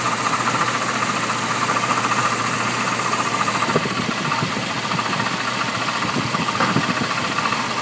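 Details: 1998 Jeep Cherokee XJ 4.0L inline-six at idle: faint, uneven knock roughly every second or two under engine noise; owner believes it comes from the front of the motor, cause unknown.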